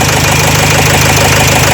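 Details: Renault Trafic 2 / Opel Vivaro, M9R780 2.0 diesel, before repair: lumpy uneven idle with knocking beat and vibration, one cylinder dropping out; cylinder 2 piezo injector short-circuit and misfire codes, injector resistance 0.31 ohm, fuel correction 5.02 on cylinder 2.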